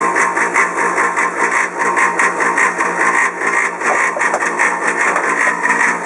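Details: Polaris PB4-60Q quiet-model booster pump for a Polaris 380 pool cleaner, a few years old: loud steady buzzing drone with strong high hum and rough pulsing throb, audible over 100 ft away despite an enclosure.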